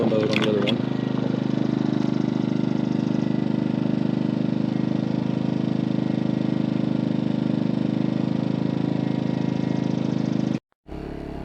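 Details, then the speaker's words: MaxPeedingRods 3200 W inverter generator at low idle in eco mode, quieter than full speed; steady, even low hum, no surging or misses; normal eco-mode idle. "okay let's go straight to low idle which is like the eco mode"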